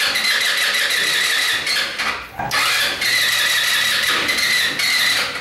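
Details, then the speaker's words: MB RX-150 scooter with high 150 PSI compression, which stalls while riding and is slow to start: high-pitched starter bursts, the engine tries to catch but never fires; carbon flakes are holding a valve open; no-start. "y siento que si la aceleró como que se iba a arrancar y ya que no está arrancando quiero esa chispa vacas ya no lo voy a forzar más ahorita"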